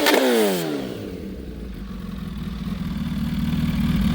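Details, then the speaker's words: Kawasaki ZH2 fitted with an Extreme Creations Turbo Smart blow-off valve and a new BLR Tuning catch can, warmed up a little: sharp rev blip drops away with a quick whooshing vent, then settles to a steady idle; blow-off valve venting on revs. "This does have the Extreme Creations Turbo Smart blow-off valve. Already let it warm up a little bit so we get some heat in the motor. So you can hear the blow-off valve on it."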